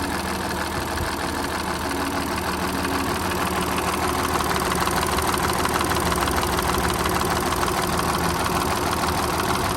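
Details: Audi A7 at idle: light, fairly regular tapping from the left side of the engine; the owner asks whether it is timing chain noise or something else, unconfirmed.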